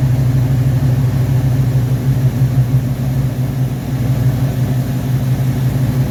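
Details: V8 on first start after rebuilt Rochester Quadrajet 7029202 from a 1969 Corvette, bowl damaged by ethanol fuel and cleaned: steady even rumble, regular beat, no misses or ticks; normal idle.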